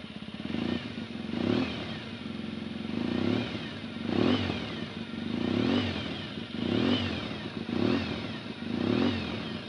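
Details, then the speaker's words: Yamaha XTZ 750 engine being blipped after repair of a right-side engine tick: sounds a bit different from before, with a faint whistle rising and falling with the revs over light timing chain noise. "je fais écouter le moteur du coup à faire un bruit un petit peu différent d'avant le bois de chêne est différent et elle fait un petit par un sifflement mais vous allez voir moyens on entend le bruit de la chaîne"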